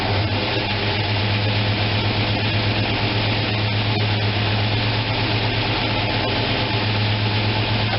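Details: After opening the manual choke that had been left closed, the freshly fuelled engine holds a low, steady idle at 700 rpm with no misses, knocks or hunting.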